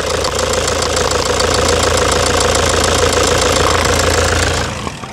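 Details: 2009 Toyota Hilux diesel at idle before repair, replayed for comparison: sharp, regular metallic knock at about 3.5 per second over a rough idle, from a stuck faulty injector. The injector was later replaced.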